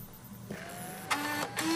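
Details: 2005 iMac G5 20-inch at power-on after a DIY repair: a fan and drive spin up with a rising whir, then soft clicks and a steady tone; sounds normal.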